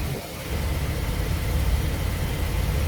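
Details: 2005 Chevrolet Express 4.3 V6 rough idle under load, uneven stumbling low beat with occasional drops; bank 1 catalytic converter suspected blocked (catalysts reportedly drilled out earlier, purge solenoid replaced).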